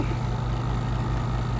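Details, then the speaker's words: RV rooftop air conditioner running: steady low drone with a soft uneven thump every few tenths of a second; something fell through and broke the cover and a condenser fan blade, needs a fan and cover. "something fell through this air conditioner and it has broken the cover but it's also broken a fan blade on it so uh it needs a fan and a cover"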